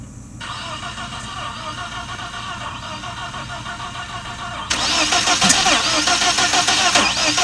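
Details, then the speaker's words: 1997 BMW 318i M44 four-cylinder, first start after rebuild: lumpy, uneven running, stumbling harder when revved; misfire from spark plug wires placed by length in wrong order. "because I kind of just put the longest one and the farthest one away work my way back and came to find out it was all wrong"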